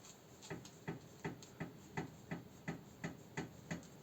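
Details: Skoda Octavia knocking at the front over potholes or when turning: steady sharp knocks nearly three a second from a worn, loose steering tie rod end, which was replaced.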